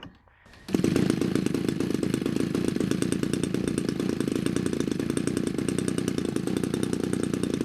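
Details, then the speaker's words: DLE 35 gasoline two-stroke RC airplane engine in a Hangar 9 Valiant 30cc, previously hard-starting; after trimming the choke pushrod Z-bend for full choke closure it pops right away, settling into a fast, even buzz; normal running. "okay it's choked and as is my usual procedure open and the ignition is on oh it sounds like it popped right away"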